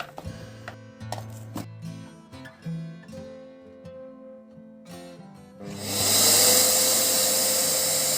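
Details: Samsung SC8870 vacuum cleaner after replacing its failed VCM-M30AU 2400W motor, which had not reached speed and stalled: the new motor spins up into a steady, even high rushing whine with no surging or rattle, running normally.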